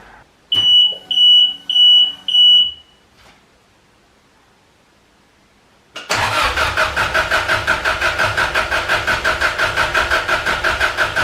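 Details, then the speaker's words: First start after work, cam sensor unplugged: four short chirps, then starter spins engine with steady rhythmic churn, no firing, deliberately priming oil pressure before startup. "First thing, usual, what I always do, pull the cam sensor off and spin it over so we've got oil pressure, and then we're not starting it up with no protection there at all."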